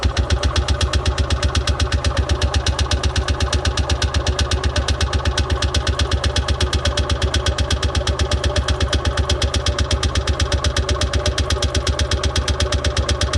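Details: Columbia Parcar golf cart cranking after a new fuel line was fitted: steady, even chuff about three per second that never catches; no fuel pumping, filter suspected clogged; fuel-starved crank, no start.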